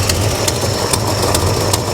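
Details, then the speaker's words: 1969 Chevrolet Chevelle SS V8 at a steady idle with a light regular puffing tick over the rumble. A small exhaust leak is heard coming from somewhere up front. "all right i hear a tad bit of an exhaust leak nothing too"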